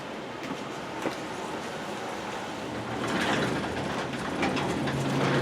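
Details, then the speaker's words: Garage door opener running a 9x7 door with nylon rollers and a spring replaced in 2017: steady low drone, soft rolling, no grinding or banging; quiet, smooth, normal operation. "it's pretty smooth yes it does have nylon rollers hence why it's so quiet"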